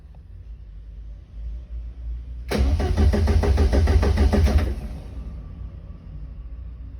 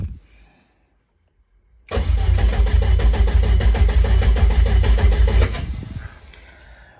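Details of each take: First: Front engine of a twin-engine Corsa, cranked while checking live data: the crank trigger missing tooth is seen and sync is good. Even, quick starter beat for about two seconds, then stops. Normal cranking. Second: Rear engine of a twin-engine Corsa that would not run after one run at a Santa Pod test day: steady cranking at about three beats a second without firing. Live data shows no crank synchronization; crank sensor or sheared trigger wheel suspected; crank, no start.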